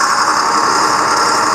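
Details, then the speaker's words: Tractor (4960) being run through the gears after the tractor was split, on a jack with no floor mat: steady, even drive whine and engine drone with no knocks, clunks or grinding; normal transmission operation. "Let's go through the gears. That's the shift. Once it does that range change, what a pain in the ass. It sounds good. I'm not hearing any weird noises."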